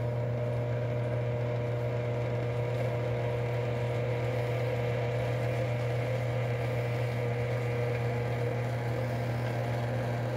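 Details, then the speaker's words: Condensate pump after clearing the plugged drain, cleaning garbage from the check valve and flushing coil cleaner through the line: steady, even low hum from the small pump motor, no rattle or gargle; pumping normally. "I must have flushed about four of these through there just to kind of work that coil cleaner through the line, flush it out, make sure everything works. And everything is working."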